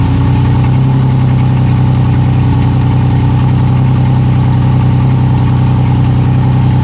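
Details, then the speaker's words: Yamaha outboard on a boat that sat unused for years, started after gas was poured into the fuel-water separator because hand-pumping wouldn't feed fuel: steady, smooth low hum at idle with no knocks or misses; quiet motor, normal idle. "that's a quiet motor"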